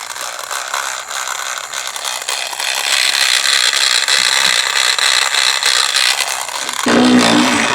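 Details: Loud grinding, high-pitched ratcheting from a Trackmaster Revolutions toy train motor; motor is a non-original replacement, worm gear seated too deep, chipped all the way and cracked, fix by pulling gear out.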